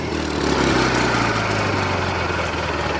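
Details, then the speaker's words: Craftsman GT6000 lawn tractor with Kohler Magnum 18, jump-started, running: even steady low beat, no knocks or stumbles; runs smoothly. "just listen to that so smooth"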